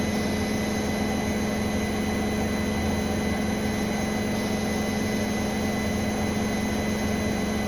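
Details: Brand-new Bosch Serie 4 WAN28281GB washing machine on final spin: a steady high squeal holds its pitch over the even hum of a balanced fast spin; seal clear of drum; owner suspects bearings or EcoSilence drive belt, source unknown.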